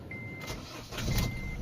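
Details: 2009 Honda Accord 2.2 i-DTEC 110 kW diesel with new ground cable: short crank catches cleanly, settles into low even diesel rumble under a chime; healthy cold start, starts the same in hard frosts.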